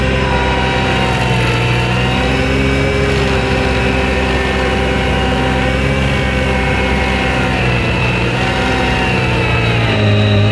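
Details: New Vermeer SC1052 stump grinder engine under heavy grinding load: deep steady drone holding pitch with slight dips; pulling strong, passed hard torture-test use, healthy.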